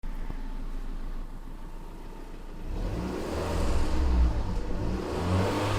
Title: Fiat punto 188 mancate accensioni Misfire